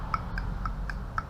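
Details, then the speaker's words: Nissan Patrol RD28 diesel: fuel shutoff solenoid on the old pump's hydraulic head, bench-tapped to battery power, gives five crisp clicks in about 1.5 seconds, opening and closing fine; the GU pump's solenoid won't open, cause unknown. Normal solenoid. "that's opening and closing fine but my uh gu one just seems to not be i don't know why that is"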